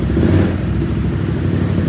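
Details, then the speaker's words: 2020 Can-Am XMR 850, formerly flooded, after all fluids changed; deep even engine note rising and falling smoothly with throttle, no misfire, quieter than before; normal revving. "Hey it sounds a whole lot better it's not misfiring"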